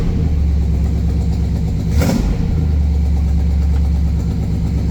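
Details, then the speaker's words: Buick 455 V8 running again after self-destructing, idle screw adjusted, oil pressure near 80: deep, even burble with steady low rumble, no knocks or misses, one brief blip. Sounds way healthier, no smoke; normal idle. "This sounds way healthier. No smoke. Really nice."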